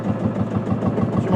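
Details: Marshall single-cylinder two-stroke diesel tractor, now warm after a hand-wound start using a glowing hot starter insert. A slow, even thump about six or seven beats a second, steady and unhurried; a healthy idle.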